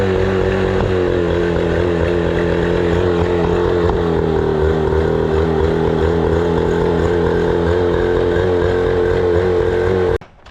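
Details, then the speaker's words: 25HP Mercury outboard after sitting four years, fuel issue fixed by cleaning carburetor and fuel system, fresh gas; starts easily and runs with steady, even drone, no misses or surging: normal healthy idle. "This motor is in perfect condition. I mean, it starts right up. It runs amazing. It idles amazing."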